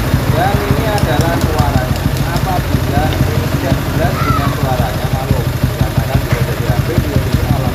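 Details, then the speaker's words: Honda CG single-cylinder motorcycle with a problem: vibrates and shakes when the throttle is held and revved, running rough with street noise around; cause not pinned down. "intinya motor ini bermasalah Oke dan ketika ketika kita pegang gostetnya seperti ini ya ini gostetnya akan Kenteng nih Nah bapnya kan kener kemudian kita pegang sambil kita dasas terjadilah dia itu geterja duah"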